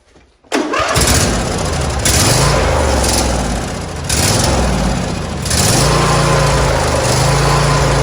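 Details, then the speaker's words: John Deere D140 lawn tractor being restored, started on choke with a little gas in the carburetor: catches within half a second, steady even single-cylinder beat with mild throttle swells; normal running. "yeah it sounds really good I'm not a problem with this d140"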